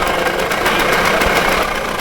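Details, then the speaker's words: Budget $500 adventure motorcycle, single-cylinder: raspy, uneven running with a harsh, choked exhaust note and rough beat. Exhaust leak noted and a clogged exhaust suspected. Running poorly, cause unconfirmed. "Hey, well, we gotta patch up that exhaust leak. No, it's fine. Just send it, man. It might be clogged, actually."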